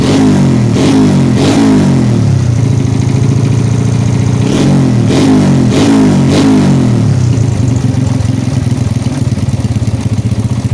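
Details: 2004 Yamaha Jupiter Z after a breakdown with lost ignition from a failed ignition component, refilled with oil and spark plug fitted: the small single-cylinder catches, blips up a few quick revs, then settles to a steady idle; it runs normally.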